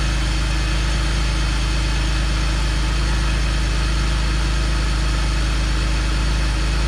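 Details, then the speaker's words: BMW E46 325ci idling steadily for a couple of minutes after dielectric grease was applied to the coil packs, with a smooth, even pulse: no misfire. Moisture in the coil packs is suspected as the earlier cause. "all right so it's been running for a couple minutes and uh no misfire so i i don't know what happened"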